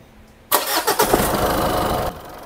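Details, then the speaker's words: Diesel engine on first start shifts and knocks metal-on-metal a few times while catching, then settles into rough idle; broken engine mount, engine also shows heavy blow-by and oil pumping. "unang start pala lang kumalag yung makina tapos may tumunog ibig sabihin Sira na engine support nito nagtama nagbakal sa bakal dito"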